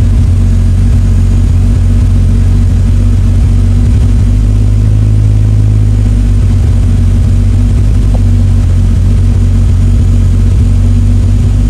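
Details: MK3 Supra turbo six on stock block with Haltech standalone, after cranking, idle and fuel table tuning for consistent starts: deep, steady drone with no misses, stumbles or hunting; normal running.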